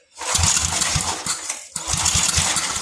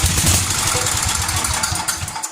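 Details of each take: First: 33-year-old Homelite 8 hp 4,400 W yard-sale generator, long unrun: two short loud bursts of rough firing with a gap, cutting out each time, running only on priming fuel. Fires briefly on primer then dies. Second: 33-year-old Homelite 8 hp 4,400 W yard-sale generator, gas in the plug hole: catches a couple of seconds with quick even firing then dies, no clacking; engine seems solid, no power output yet. Brief primed firing, no mechanical knock.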